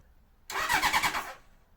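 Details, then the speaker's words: 1981 Honda CB750 on simplified wiring, run without headers after the black/white wire powering the CDI units was connected. Short crank, then quick sharp firing bursts that drop away and fire again as ignition sparks. Engine starts and runs. "so once I connected that up after some mocking it out we get things to start up"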